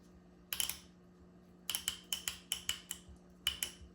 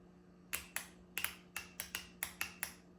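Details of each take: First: Solenoid from 1993 Honda Accord transmission (1st–2nd shift delay to 4,000–4,500 rpm), bench-tested, screens cleaned: sharp clicks in quick bursts, each thin and soft, sounding weaker than the other solenoid; weak pull-in suspected, not confirmed; weak solenoid click. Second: Solenoid from 1993 Honda Accord transmission (1st–2nd shift delay to 4,000–4,500 rpm), bench-tested after cleaning: crisp, sharp clicks, about nine in three seconds, each clean and even; switching normally; normal solenoid click.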